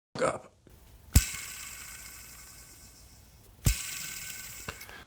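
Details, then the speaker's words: Homemade jointer build, 15 mm-shaft small bearing hand-spun near mic after 5 years in an unheated shed: gritty, dry whirring rattle fading over seconds with slight play, a dry bearing; other bearing spins fine; planer use was fine before. "this bearing over here is good it spins good this one over here however is it sounds dry"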